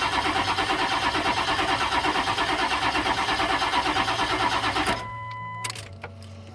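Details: 1999 Ford 7.3 diesel wrecker with new crankshaft position sensor and new ECU: starter turns the engine evenly about three compressions a second for five seconds but it never fires.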